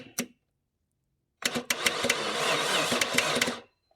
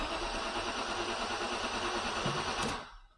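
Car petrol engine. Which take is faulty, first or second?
first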